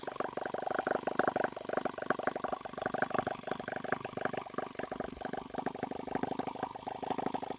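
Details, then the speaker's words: H76 Microcosm twin-cylinder model engine on the bench, water-cooled and not leaking, making plenty of heat: light, quick clatter at about three beats a second, even, no misses or knocks; normal running on both cylinders. "in here it comes we are running on two cylinders I'm running a whole lot faster if I want to see it run foreign that's a little better so far no leaks"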